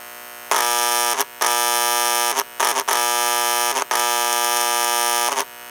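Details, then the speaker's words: 326 Hudson model locomotive in neutral on powered track; steady harsh electrical buzz in bursts from the air chime speaker, track voltage leaking through the voice coil, capacitor to be replaced to eliminate it. "when I turn on locomotive you'll hear the um electrical humming coming from the speaker all right so it's a neutral right now and that's track voltage that's spilling through the voice coil in the"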